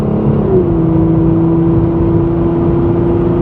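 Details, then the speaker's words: 1988 Chevy Cavalier Z24 accelerating to 70 mph: steady engine hum under load, pitch drops once briefly and settles, an even upshift without slipping or flare; shifts like butter. "not bad at all there's 70 it shifts like butter"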